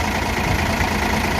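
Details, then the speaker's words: Hino J08 truck diesel at 600,000 km idles smoothly and quieter with a steady, even low rumble and no tapping, after first-ever valve adjustment from far-over-spec clearances (intake 0.30, exhaust 0.45 mm). "หลังจากที่เราปรับตั้งวาล์วแล้วเครื่องเดินเรียบนะครับครับใช้เสียงอีกฝั่งนึงนะครับเสียงก็เดินเครื่องเดินเรียบเสียงเงียบลงนะครับ"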